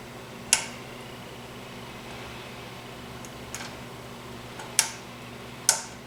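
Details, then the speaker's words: Lamp with a General Electric 2D 3-way compact fluorescent bulb: a few sharp, uneven snaps over a quiet room hum as the worn switch sparks inside. It can no longer reach position 3; the switch, not the bulb, is faulty and will be replaced. Worn lamp switch arcing. "Yeah, the switch is definitely shot. I can hear it sparking in there."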